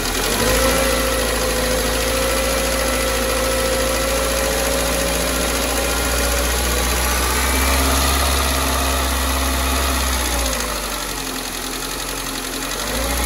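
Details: Nissan Almera G15, Renault K4M 1.6 16V, first start after top-end rebuild with new hydraulic lifters: steady idle with quick even ticking about four per second; one lifter will not bleed up and keeps tapping.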